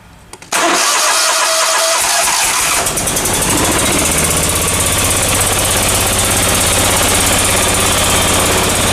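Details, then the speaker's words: Briggs & Stratton Vanguard 37 hp EFI engine that runs bad with no power; it catches after a short crank, then runs rough and uneven like one side is dead. "you can see that that's not running right it kind of sounds like it's got a dead mess on one side"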